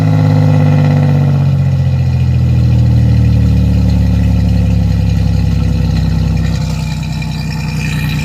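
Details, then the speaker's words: 1987 Chevrolet Celebrity Eurosport 2.8 V6, 237k miles, cold day, before catalytic converter install, running poorly: loud low raspy exhaust drone with rough pulsing and pitch drift at idle, with fuel smell; open pipe without catalytic converter. "I'm actually going to be putting on a catalytic converter or a resonator to quieten down the raspy exhaust noise that it has and the smell of fuel."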